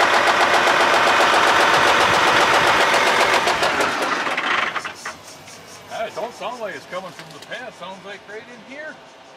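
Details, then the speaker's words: 9560 tractor diesel now knocking: loud diesel with steady fast knocking near four beats a second before fading; exact source inside engine unclear, technician called to inspect; engine knock. "so apparently the 9560 that we just got back is making noises that it's not supposed to make"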